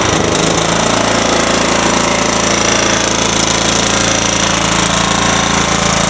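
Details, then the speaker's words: Ransomes walk-behind mower with a Kohler 14 hp engine, revved up: it climbs quickly and holds a loud, even, rapid exhaust beat with no misfires or knocks; running well. "So anyways, you can hear it runs well. Just gonna rev it up. Running good."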